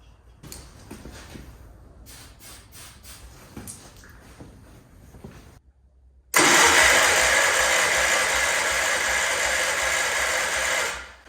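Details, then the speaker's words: Wheel Horse C-120 garden tractor, petrol, choke on, fuel poured into carb bowl: weak then steady churning cranking for about five seconds without starting; good spark confirmed, suspected fuel delivery problem. "There's a good spark on there, so good enough to get ignition, that's for sure. So I think it's just a case of getting fuel up."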